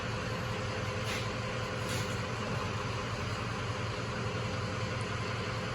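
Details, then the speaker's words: 2005 Cadillac CTS 3.6 L V6 idling roughly with an uneven, irregular stumble about twice a second after an oil change; codes P0300, P0303–P0306, P0420, P0430, misfire currently on cylinder 5; multiple cylinder misfire from low compression, one cylinder nearly dead. "all right a 2005 Cadillac CTS at the 3.6 liter and we are trying to hunt ahem this fire but we have got multiple misfire codes so let's take a look at history and then we'll see what it's currently doing"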